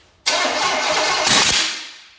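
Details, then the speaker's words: Small block Chevy engine of unknown condition with a little gas poured into the carburetor: the starter cranks with a rough, uneven brief catch, then the engine dies without running. It barely kicks. "Ooh. Put a little more in there. Didn't feel no, bad. that didn't kick bad at all, so."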